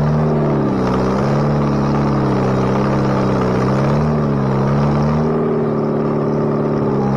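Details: Bobcat 642B skid steer after head gasket replacement, working: steady drone swelling and dipping as the machine loads and unloads, no knock or miss; runs pretty good now. Normal running under load.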